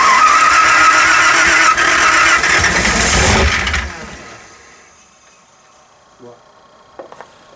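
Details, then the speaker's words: 302 V8 just installed, running on 87-octane gas: it runs rough for a few seconds with a hard, regular hammer-like metallic rapping, about 200 a minute, then dies; detonation blamed on fuel too poor. "what it's knocking like the heel it's a gas it's gas yeah here what sounds like you in it with a hammer Bam Bam Bam"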